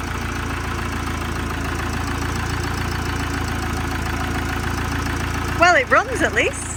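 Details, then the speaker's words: Camper van's freshly fitted replacement diesel engine at first start after fuel priming: idles with an uneven, shaky beat; rough running, injectors not yet calibrated, suspected cause unconfirmed. "So let's see if it starts up. It's shaky. you put all the bolts in."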